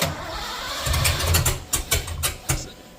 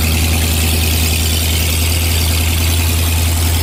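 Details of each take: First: 1986 Ford F150, 351W, new Holley Sniper EFI and HyperSpark distributor, first crank: starter churns unevenly, engine catches but won't run; distributor clocked one plug off, number one not set right. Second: 1986 Ford F150, 351W V8 with ZF5, just fitted with Holley Sniper EFI and HyperSpark distributor, running after distributor re-clocked (was one plug off); deep, even idle with steady low rumble, no misses or knocks; normal idle.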